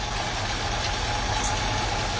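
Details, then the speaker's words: Mercedes W116 450 SEL 6.9 with M100 6.9 L V8 at idle. Smooth, even burble with no ticking or knocking; said to run well. "Très bon moteur. Là, il fonctionne bien."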